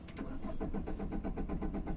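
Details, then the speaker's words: Tata Vista diesel with starting problem and fault code P0193 fuel rail pressure low: starter churns in a fast, even rhythm for a long time before the engine finally catches; long cranking from low rail pressure, not yet solved. "गाड़ी start होगा लेकिन long start मारना पड़ेगा आपको तो आप देख लीजिए गाड़ी स्टार्ट हो गया और बहुत स्टार्टर मरने के बाद में चालू हो गई"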